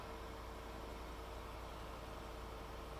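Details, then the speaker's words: Land Rover Discovery 4 accident car after repairs, intake reinstalled: engine starts to a steady, even idle with faint hum, no misses or knocks; engine warning light went off. "着了，发动机灯都没了。"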